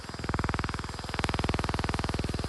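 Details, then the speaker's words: Autel EVO 2 drone, gimbal shakes in flight and picture not stable, held in hand: fast, even buzzing rattle at about twenty pulses a second, steady throughout; gimbal vibration buzz, cause unknown. "it's it's a vibrating a little bit that makes the picture not stable"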